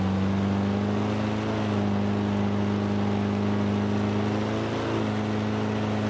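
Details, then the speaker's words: Free roadside Toro Recycler 22-inch mower with the blade height set to maximum: a small single-cylinder engine buzzes steadily with a brief dip and recovery, running slightly unevenly. It was sputtering and kicking, and the owner doesn't think there's water in the fuel. "so hearing how that was running there for a minute kind of sputtering and kicking and stuff i don't think there's any water in the fuel"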